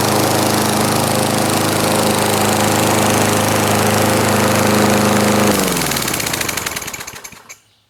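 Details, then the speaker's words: 1989 Lawn-Boy S21ZPN push mower with replacement 4.5 hp Tecumseh Eager 1 engine (originally 2-cycle 4 hp F-Series), cold start, primed once, throttle about half: steady even drone for about five seconds, then shut off and winding down; normal running. "Alright, so this is a cold start. Hand on the block, stone cold. I'll go ahead and I'll set it to about, I don't know, half speed or something."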